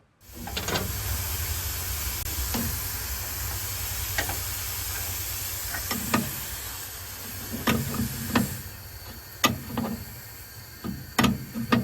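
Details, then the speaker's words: 922B air brake system after repair of the major leaks. A steady soft hiss of escaping air remains at the brake valve assembly on the floor plate, while the gauge reaches about 120 psi and holds. Compressed air leak. "There's still a a small hiss in our assembly down there at the floor, but as you can see, the air pressure gauge up here is well into the green."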